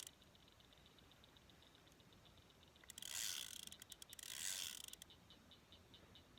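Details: Old fishing reel winding in line while reeling in a bass on a Jitterbug lure: quick ratcheting clicks in two bursts over quiet background; the clicking is the worn, old reel, not the drag.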